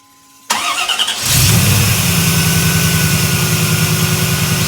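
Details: 1992 Camaro just fitted with Jets two-piece under-drive pulleys: brief crank, fires within a second, settles into a smooth even idle with no belt squeal or wobble.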